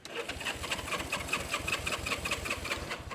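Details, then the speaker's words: 1970 Honda CB350 twin, sitting for years, just ran after both carb air-fuel screws were set equal: even starter churn about two and a half pulses a second, never catching; cranks but won't start. "I set them the same and now it works I'm saying it works and now it won't start come on"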